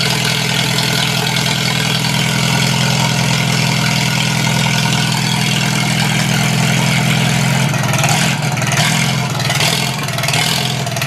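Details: Four-cylinder engine starting in cold, windy weather after its cables were cleaned; it leaks some gas. Uneven, lumpy idle that wavers and surges, not firing on all four yet. Owner expects it may need cleaning again. Rough running, misfire.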